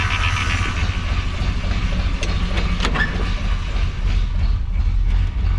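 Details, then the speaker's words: Abandoned 1965 Ford Ranchero 4x4 first run after sitting: deep steady lopey rumble, no knocking (earlier knock gone), power steering fluid empty — normal idle. "woo it sounds exactly how I wanted it to sound"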